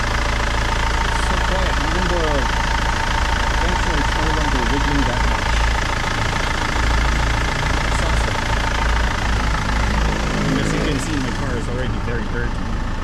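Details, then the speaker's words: 2008 BMW 520d E60 diesel, belt squeak after new belts, tensioner, pulley, alternator bearings; after applying Permatex dielectric grease to serpentine and compressor belts and running a few minutes: steady idle clatter, no squeal; normal idle. "turn it on this one now it's so silent so works and I hope it helps other people as well"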